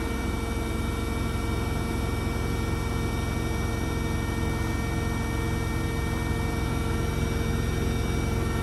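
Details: Blomberg RapidJET LWF194520QW 9kg washing machine, about a month old, final spin at full 1400 rpm after rinses: steady even hum, barely vibrates, no knocking or rubbing; normal high-speed spin.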